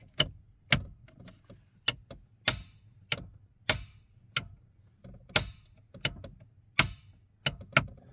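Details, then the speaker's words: 1981 Volvo 245DL, 168,000 km, engine off with ignition on: sharp dry clicks from the rear about once or twice a second; the fuel pump clicking shows the tank fuel system is working. "but the good thing is you hear the clicking noise in the back. And that means that when we do this,"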